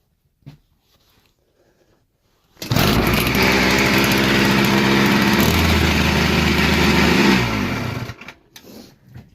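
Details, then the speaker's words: Chinese 80cc two-stroke motorized bicycle: fires after a pull, rapid ragged rattling buzz for a few seconds then dies; rough running from loose motor mount and not fully tightened exhaust. "The motor mount was loose, and I hadn't tightened up the exhaust all the way, so it sounded like shit."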